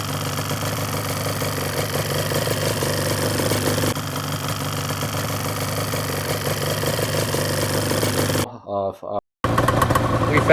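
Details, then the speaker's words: Yamaha Banshee two-stroke at idle: uneven rattling chatter from the clutch side near the impeller, dipping briefly and returning; owner suspects idle gear bushing with about half an inch of play and a loose clutch basket, not yet confirmed. "I'm really hoping this die diagnosis uh and fixes uh the the the chatter I was getting from the clutch area down here guys"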